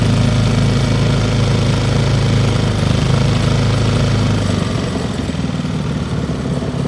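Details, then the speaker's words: Old Briggs & Stratton single-cylinder petrol engine rescued from the trash, carburetor needle valve opened; smooth even running, idle screw backed out to a steady slower idle with no misses, then idle raised back up — healthy running and idle. "see how low it'll go backing out the idle screw there it is right there all right pull the idle back up a little bit"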